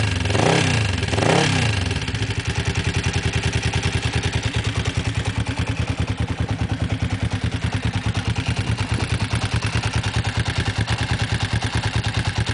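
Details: Kawasaki GPZ engine: a couple of quick revs settle into a lumpy idle with an even clattery beat, about three per second; engine clatter, source not pinned down.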